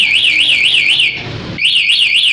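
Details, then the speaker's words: Yamaha Jupiter Z1 with CR-7 alarm, anti-robbery mode activated by remote: engine cuts and a loud warbling siren rises and falls about twice a second, pauses briefly, then resumes, still sounding when restarted by switch; the engine will not start. "Caranya gembok tutup, pencet sekali, motor mati, sirene bunyi. Kemudian pada saat hidupkan lagi menggunakan saklar, tetap bunyi."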